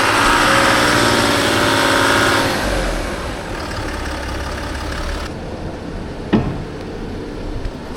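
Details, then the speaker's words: 2016 Land Rover Discovery 4 diesel after complete engine rebuild, first road drive: strong pull under load reaching the second turbo stage at 3000 RPM with no restricted performance, easing into steady cruise, no knocks or flat spots; normal. "So it does work in the second turbo stage. Here I got here 3000 RPM, no restricted performance."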